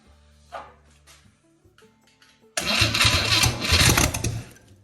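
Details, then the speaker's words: 1963 Chevy 230 inline-six, sat about 35 years, cranked with a fresh battery pulled from an '81 Sierra: quiet start then strong brisk cranking burst for about two seconds; starter spins properly, dead batteries suspected as the earlier problem. "That sounded a lot more promising, eh? Have we been battling dead batteries all day? Wouldn't surprise me."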